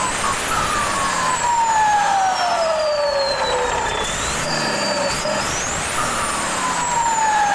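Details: Mitsubishi 6D16 engine with added turbo: high turbo whistle sliding down as revs fall and climbing sharply as they rise; clean spool sound.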